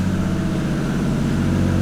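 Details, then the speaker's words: 1JZ-GTE VVT-i swapped 1988 MK3 Supra running after a new MK4 fuel pump, first start since late July or early August when it died while driving and wouldn't restart; steady, even idle, smooth low rumble, no knocks or misses. "It's been since like, I think the beginning of August or end of July, the car wouldn't start. And now it's running."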